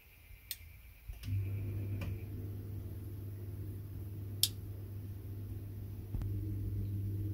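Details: Boiler heating system with a newly installed Drayton Wiser controller, replacing a Vaillant VRC400, during a heating boost test. A single soft zone-valve click, then the boiler fan and burner hum settle in steadily; normal operation.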